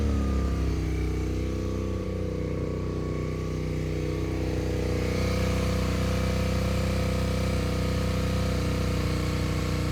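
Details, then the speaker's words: Long-abandoned Suzuki SV650 V-twin, first start in years after fresh 10W-40 oil and a battery: fast, steady idle with no dip, well above normal tickover; idle too high, owner unsure whether a choke is on. "Sounds like it's idling really high. I'm not sure if there's a choke on here anywhere."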